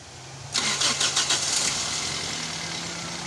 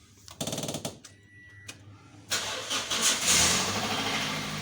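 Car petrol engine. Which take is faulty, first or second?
second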